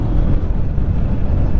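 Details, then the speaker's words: Bajaj Pulsar 150 BS6 with 50,000 km, after fitting a cheaper duplicate clutch plate: steady, even low rumble with no knocks, rattles or scraping; engine and clutch run normally. "कोई problem नहीं लग रही है और ना ही कोई इसमें extra आवाज आ रही है"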